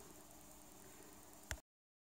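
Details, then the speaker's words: AN/PRC-10 tube VHF manpack radio: steady hiss stays unmuted because the newly fitted squelch relay doesn't work, then a sharp click cuts the sound to silence. "so I have a problem I mounted the relay inside the radio but it doesn't work I still can hear the hissing"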